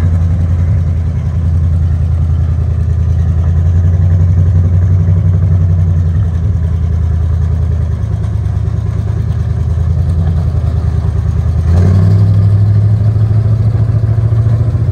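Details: Four-wheel Alvis Stalwart petrol engine, first run in over 30 years, just driven off the lorry (first gear works): steady low, even rumble with a brief rise in revs near the end; engine sounds quite nice, normal running.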